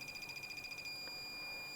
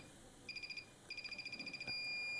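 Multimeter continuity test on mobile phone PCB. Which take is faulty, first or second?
first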